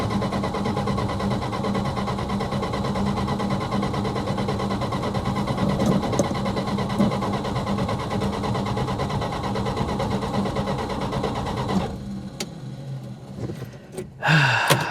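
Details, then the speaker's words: 1966 Plymouth Fury II 318 V8: even starter churn for twelve seconds without catching; fuel confirmed, coil has 12 V, points open and arc, so fault lies between points and coil, coil suspected; crank no start, no spark. "Still no spark. I know it's got fuel. 100% it's got fuel. No spark."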